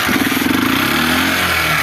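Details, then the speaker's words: Small single-cylinder motorcycle that won't exceed 20 km/h and misfires, idling unevenly with a light rapid top-end ticking; valve rockers have excessive clearance, so intake and exhaust valves don't open properly. Fix: adjust valve clearance. "aí é o seguinte seus balancinhos tá batendo muito certo tá mais ou menos dessa altura aqui então se os balancinhos tiver alto assim não consegue abrir a admissão escape e a moto rateia"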